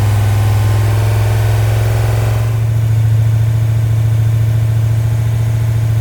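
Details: Freshly rebuilt 1990 Mopar 318 V8 (D150 truck) with new Rock Auto parts, mild Comp custom cam, Air-Gap intake, first run, timing 15° at idle, 33° total: revs drop then settle to an even rumble with mild lope; normal idle.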